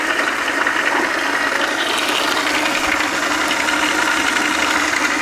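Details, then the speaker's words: South Bend lathe change gears, recently swapped to nylon, running with a new pump-fed oiling guard with return reservoir; steady dry whirring chatter with a high rasp, some noise remaining; gear train noise. "still got some noise but I can live with that"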